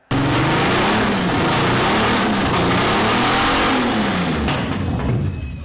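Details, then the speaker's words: Aston Martin V12 in a Fox Body Mustang, earlier run: it revs with an uneven, lumpy note, sounding like a V9 and a half. Cylinders 11 and 12 never got hot at the headers, so two cylinders were not firing. "So last time we got this thing fired up with the guys from Hang Tight and we were pumped, but it didn't run clean and it sounded more like a V9 and a"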